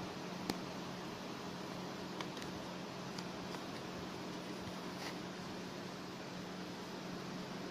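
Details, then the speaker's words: Graphics card in a two-card SLI system, powered on after fan replacement: a quiet, even hum with a steady low tone as both fans spin smoothly, with no rattle or grinding; working fine. "And now we'll turn it on and we'll check the fans, make sure they're running. We can see that both let's get this torch, fans are actually going around."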